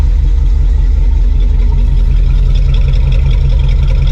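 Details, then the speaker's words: Suburban V8 with a newly fitted Evil Energy 600 CFM carburetor, idling. Deep, steady rumble with an even, unhurried beat and no stumble or hunting. No rich fuel smell, choke works. Normal healthy idle. "It don't smell rich. The exhaust is whipping right there."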